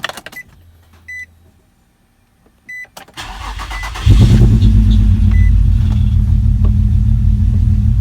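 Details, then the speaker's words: Project G car first start: dash chimes, cranks, catches and settles into an uneven, lumpy misfiring idle; the camshaft position sensor is then replaced. "all right so as you can tell it doesn't want to run very well"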